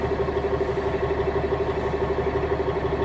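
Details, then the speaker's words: Class A truck diesel idling after parking brake valves pushed in, pressure dropped: fast, even pulsing chug over steady idle as the air compressor kicks in to rebuild air pressure; normal compressor cut-in. "and you hear the air compressor kicked in, it's starting to build air back up."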